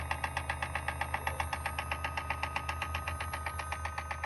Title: 2018 Volt Transmission Clicking Noise